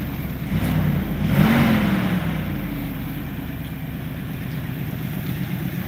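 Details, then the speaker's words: Dodge Dakota R/T with stock 5.9-liter 360 V8 (transmission bad, doesn't drive), first start: fires, revs once, settles to smooth even idle with steady deep burble, no misfire or knock; engine runs great. "it does run the 5.9 motor runs great"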